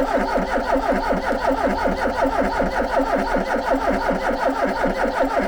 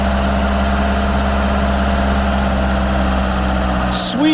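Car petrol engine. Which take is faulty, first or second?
first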